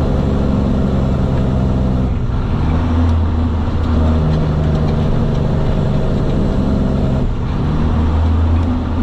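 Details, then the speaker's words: Semi truck diesel coming into the lot in a normal downshift sequence: a deep rumble rises on each throttle blip, then settles as each lower gear goes in, with the brake covered by the left foot; smooth, healthy downshifts. "so all right guys that was pretty much the uh down shifting sequence coming into the lot here"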